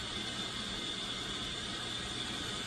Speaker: Oh, there it is. I hear the motor starting. Yep, I can hear it spitting water out the front of the